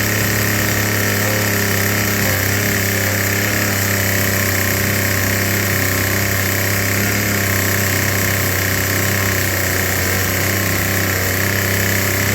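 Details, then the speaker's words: Troy-Bilt TB2044XP JumpStart two-cycle trimmer, before service, likely never serviced: loud buzzy racket that won't settle into idle; dirty carburetor needing cleaning and tuning, later serviced with carb cleaning and new fuel lines. "you can see that carburetor is all dirty I got it to start up and run but it won't run in the idle it needs a tune"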